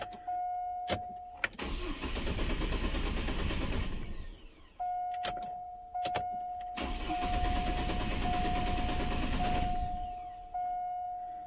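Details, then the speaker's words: Truck with lean and O2 codes that lost power and died while driving, new fuel filter fitted: the starter churns in two long bursts with a steady chime but the engine never fires; no fuel pressure builds, with a bad pump or regulator suspected. "I got a funny feeling it's a bad pump because it's not building up anything but I mean it could be a bad regulator too"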